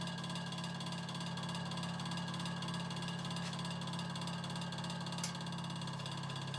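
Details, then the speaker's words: Early-1950s Vornado Jr. two-speed table fan on high, motor suspected burned with shorted windings, running about a third of speed: constant low hum with rough whirring rattle; noisy, failing motor. "We'll start it up on high. So yeah, quite noisy."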